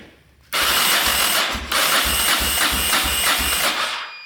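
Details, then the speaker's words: 1990 Yamaha XT600 single that sat for ten years, cranking after oil was added to the cylinder: brisk starter with even compression pulses; compression rose from low to about 125-130, suggesting slightly stuck rings. "Yeah, shot way up. We're up to like 125, 130. So maybe the rings are just slightly stuck."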